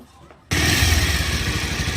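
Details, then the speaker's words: Bajaj Pulsar 150 BS4 motorcycle engine: fires and settles into a dry, buzzing gear rattle over the idle beat, caused by a damaged scissor gear. "এই যে ঝিঝি ঝিঝি করে আওয়াজটা হচ্ছে। আওয়াজটা আমরা ঠিক করবো।"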